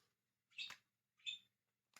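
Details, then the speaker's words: Shark IZ210 cordless vacuum motor unit, reassembled and switched on after the motor spun freely by hand: three sharp isolated clicks, no motor spin-up; motor unit failed, needs replacement. "there's something making a click in it, but it's just not working. It has done what Dyson cordlesses do, and yeah, destroyed itself."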